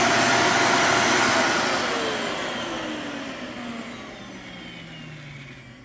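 Motor runs, then winds down smoothly with a falling pitch and fading rush of air; no whistle or howl on shutdown.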